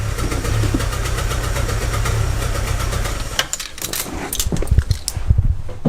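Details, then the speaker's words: 2006 Chevy Aveo with P0300 random misfire code and check engine light: uneven lumpy idle with wavering note that surges and dips, worse in Drive at a stop; rough idle, plugs later found running lean. "I don't know if you guys can hear that you hear that rough idle and it gets worse it gets worse when you put it in a dry you like surges and just a rough idle"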